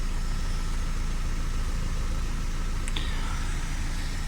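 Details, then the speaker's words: Opel Astra after repair of cylinder 4 misfire (was running on three cylinders): steady low idle, even pulse about four beats a second, no stumble; fixed by cleaning injector 4 with WD40 and moving it to cylinder 3, codes cleared. "Elle est réparée mon gars. La caisse elle est réparée. Un bon nettoyage d'injecteur et c'est bon."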